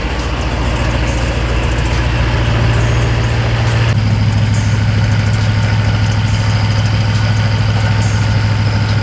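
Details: Engine idling after a thermostat replacement with no coolant flush; before, the top radiator hose was hot and the bottom one cold, now both are warm. Steady, smooth low idle with no knocks or ticks: normal idle.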